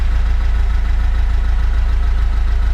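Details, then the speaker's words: 50-year-old Lada, after fixing the choke cable blamed for the idle problem. Idles stably just under 1000 RPM with smooth, regular exhaust pulses and no misses; healthy. "So I got the choke cable fixed, and it's idling pretty nice now. I think the idling problem was because of the choke cable. Just nice under 1000 RPM over there."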